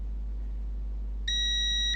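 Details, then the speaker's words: Toshiba Satellite P850-31L laptop motherboard with charging fault and power cutting off, continuity test between chip pins: single steady high beep of about two-thirds of a second; short between pins, judged not okay. "nothing very good in between each other no way oh it is short actually hmm that's not okay"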